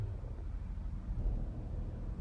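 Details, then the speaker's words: Chrysler (Jeep/Dodge) with code P2173 high airflow vacuum leak: engine shakes and misfires with low, uneven rumble and irregular stumbles, no rev response, throttle seemingly not working; caused by vacuum leak letting unmetered air in. "Tapos nanginginig ang makina. Ayan palyado siya guys. Palyado ang lakas oh."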